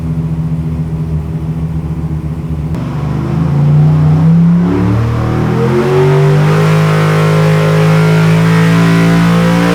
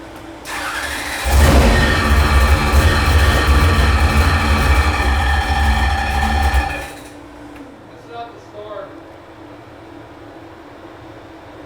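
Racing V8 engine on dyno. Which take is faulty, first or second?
second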